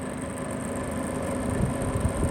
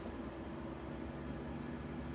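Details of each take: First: Vollara Surface Pro air purifier, about five years old: steady low fan hum with intermittent rumbling rattle; blade looks wavy, out of balance or loose; motor bearing oiling planned; fan rattle. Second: Vollara Surface Pro air purifier, about five years old, after servicing and oiling the fan to cure a rattle: quiet steady low whir with no rattle, squeal or grinding; normal fan running, much quieter.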